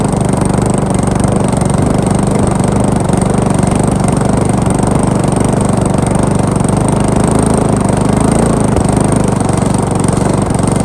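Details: Briggs & Stratton lawn mower, first start after rebuild: steady small single-cylinder chatter, even and unbroken at a fast idle, no misses or surging; runs properly, though throttle linkage is too tight to shut off.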